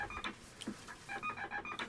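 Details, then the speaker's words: Rebuilt vintage 7-tone CB roger beep board with ceramic disc capacitors in place of the originals, powered with PTT grounded; its clipped stepping tones sound rough and strange, unlike the original's crisp sound; cause unknown. "so it does sound a bit strange not sure what's going on there"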